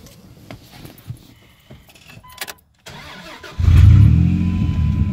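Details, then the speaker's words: Dodge Dakota with a newly replaced engine, warmed to normal running temperature: fires and holds a smooth but raised idle; misadjusted throttle position sensor triggers a fail-safe that bumps the idle up. "it's gonna Auto a little bit high normally it should uh DeLaet around 686 days about work shed idle but since it's the TPS centers messed up a little the little fail feature that this thing has that it will bump the idle up a little bit higher"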